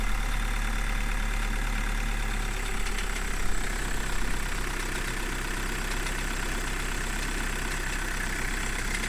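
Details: Volkswagen Golf 1.6 TDI diesel cold start: catches and settles to idle with harsh rattling knock over the low drone; cause unknown.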